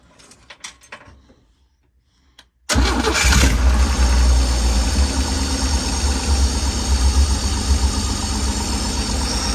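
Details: 1965 car after turn-signal switch and wiring repair, jump-assisted on weak battery, started with choke: cranks and catches quickly, then settles into an even, deep V8 idle with steady rhythm, no stumbling.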